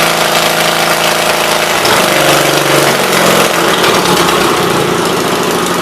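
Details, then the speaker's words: 1976 Gravely 816 single-cylinder engine with no muffler, valves ruled out, battery connection found at fault, new spark plug fitted: loud, rapid open-exhaust popping, running steadily and evenly after starting; normal running. "i'm gonna sit and let it run and uh look at left side out you see it's just starting now awesome"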